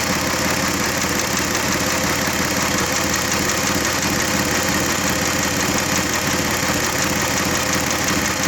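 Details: G6EA engine at idle, faint uneven ticking knock over the engine note, about 85 a minute; engine knock, cause undetermined.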